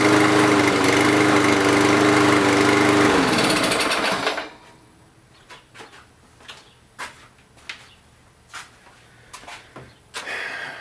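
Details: Walk-behind lawn mower, small single-cylinder engine that had been starting then stalling, running after water cleared from the carburetor; air filter off; steady, even buzz before shutdown; running normally.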